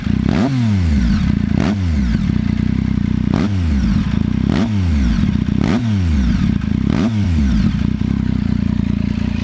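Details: ST3 engine with repeated throttle blips about every 1.5 seconds: dry metallic clatter rising with revs; owner suspects cam chain tensioner (CCT), not confirmed.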